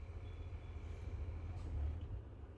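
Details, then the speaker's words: 2007 Audi A8 air suspension with fault code 01400, ignition on, engine off; compressor runs to lift the car, steady low hum with faint thin whine swelling then easing; compressor pumping normally. "compressor running it's going to try to lift the car uh you guys might be seeing outside if he's lifting or not"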